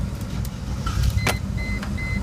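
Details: 1998 Mercedes-Benz ML320 after fixing a key that wouldn't turn and fitting a new ignition switch: the engine catches after a short crank and settles into an even idle, with the chime beeping behind. Starts normally.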